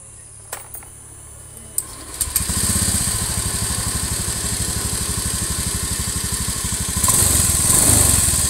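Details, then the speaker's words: Honda Beat FI (K44) injected scooter using oil fast with no white smoke and a dry tailpipe: at idle a light ticking from the cylinder head, valve-like but not the valves, that roughens when revved; worn, scored piston and rings. "Nah, ada suara ada suara ngiklik. Di bagian headnya itu ada suara ngiklik, itu seperti klep, tapi bukan klep itu ya."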